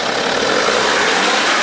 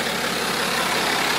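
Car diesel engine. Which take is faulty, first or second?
first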